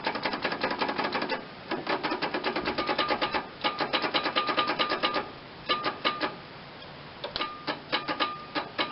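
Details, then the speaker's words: John Deere 318 lawn tractor with Onan twin-cylinder engine, first start attempt in years on a jumper pack: quick dry clicking in short bursts, starter solenoid clicking, engine never turns over; starter clicks, no crank. "the starter trying the solenoids clicking anyway"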